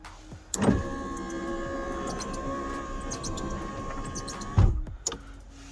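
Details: Nissan 200SX S13 driver's window, after repairing a cracked solder joint on the door relay circuit board: smooth, even motor whir for about four seconds, then a clean stop; window now works normally.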